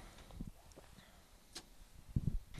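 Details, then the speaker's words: Key on with a stone-cold engine on a 24-volt Chevrolet CUCV military diesel truck: a few sharp glow plug relay clicks over a low rumble, then stop; the relay short cycles instead of staying engaged, suspected glow plug system fault. "do this one more time and i'll put the microphone a little bit closer to the firewall because the relay that you're hearing clicking is right here on the other side of the firewall"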